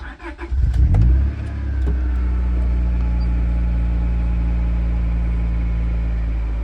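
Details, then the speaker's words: Wrecked 25-year-old Honda, first fire after oil pump priming (cranked without ECU or fuel pump, no oil pressure seen yet); fires at once, revs briefly, then smooth even idle with no knocks or rattles. "Let's see if we can get some oil pressure here. Okay, nothing, but it's gonna fire it."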